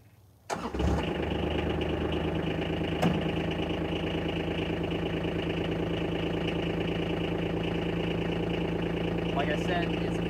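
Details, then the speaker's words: Nearly new 2021 Kawasaki Mule Pro DXT diesel at idle after starting: steady idle with a busy high-pitched tinny rattle over the normal diesel clatter, which owner dislikes; supposedly normal at slow speed, cause not pinned down. "i'm not too fond of the rattle motor supposedly that's just what it sounds like with slow speed"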